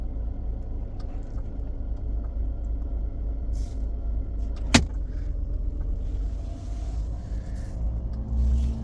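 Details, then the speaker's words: Mercedes E300 W124 abandoned nine years, engine idling: steady low rumble with one sharp click midway; a relay sometimes clicking, unsure whether normal, cause not yet known. "I can hear a relay in here that is sometimes clicking"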